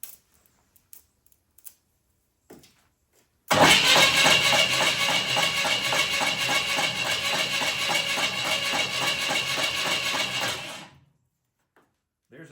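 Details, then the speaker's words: 1967 Ford Mustang abandoned 20 years, engine turned over by the starter: about seven seconds of quick regular knocking rattle while cranking; owner suspects the starter or a rusty spot on the flexplate, possibly missing torque converter nuts. "it sounds like it's in the starter maybe a rusty place on the [Music] flex"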